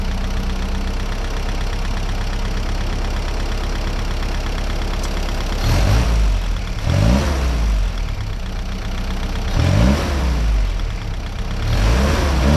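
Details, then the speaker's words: 1955 Willys CJ5 Jeep after a new exhaust, with timing advanced slightly (mixture changes had no effect): steady idle, then quick throttle blips rising and falling cleanly without hesitation or popping, normal revving. "That's better. [Music] Well, that's something new for me. Uh, the Jeep noticeably ran different with the new exhaust on it. Changing the air fuel mixture didn't do anything, but advancing the timing a little bit did. The engine has excellent response again, just like it did before."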